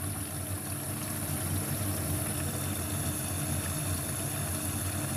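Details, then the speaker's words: LG dishwasher after repair of a defective main control board that had caused the IE error: a steady low hum with an even rushing wash, no clicks or stalls, as it fills with water normally. "you can hear the noise also we can check through the air guide yes water taking"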